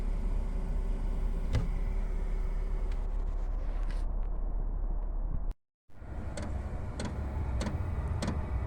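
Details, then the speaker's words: Chinese 8 kW diesel air heater starting up on an icy below-freezing day, about three minutes to come on; steady fan roar winding up with faint regular fuel pump ticking and a brief dropout; normal startup. "starting to pulse and you can hear the uh the motor in there just winding up and and starting to Roar"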